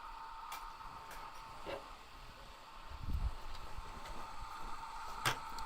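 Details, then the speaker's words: PC water-cooling loop being bled: a steady mid-pitched pump whine under scattered clicks and a dull bump; the pump runs at full pressure with air in the loop and should quieten once the air clears, though it is slightly noisy anyway. "we can hear the pump you can hear the pump cuz it's cuz it's at maximum pressure at the moment once the air once the air runs through it it'll quieten down it's also just a slightly noisy pump"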